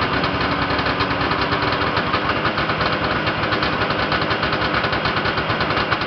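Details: Yamaha Enticer 340 two-stroke snowmobile, first start after rebuild (new Wiseco pistons and bearings, Hot Rods rods, custom forged balanced crank, Uni filter): busy, rapid burble at steady idle with fast even pulse, no clatter; idling fine, very smoky.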